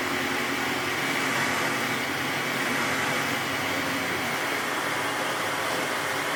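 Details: 1998 Sebo X1 upright vacuum after a temporary bearing fix: steady, even motor and airflow rush with no rumble, squeal or grinding from the brushroll, silent again; normal running.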